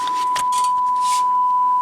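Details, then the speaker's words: 1984 Infinity RS 6/B speaker with missing woofer foam surround, tested with a mid-range test tone: clean steady tone near one kilohertz from the mid-range driver, not the tweeter, no buzz or rattle; mid-range driver works properly. "and see, it's not coming from there anymore. Definitely coming from the mid-range, not really the tweeter."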